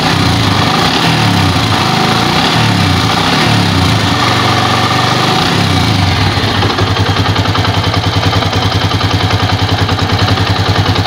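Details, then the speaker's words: Old Yamaha Vixion, previously very rough and clattering when hot, after repair with aftermarket parts and a New Megapro piston: revs up then settles to an even, steady beat with no knocking, now much smoother. "Oke temen-temen jadi perbandingan suara tadi ya itu lebih halus dan dibandingkan Soraya sebelumnya itu sangat kasar"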